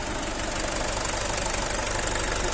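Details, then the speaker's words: Swaraj 841 XM tractor diesel, previously a thudding knock from the rear bearing breaking into the chamber: engine ticks over at an even idle with ordinary steady clatter and no heavy knock; normal idle. "कर लिया है कोई आवाज नहीं ए रही है बहुत कम से कम तैयार कर लेते हैं तो"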